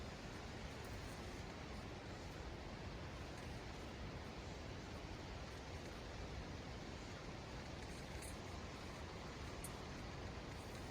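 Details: Hyundai Eon after brake repair (scored rotors cleaned, brake shoes refitted): low steady road rumble and tyre hiss while slowing, no squeal or grinding; braking noise that was present before is now gone.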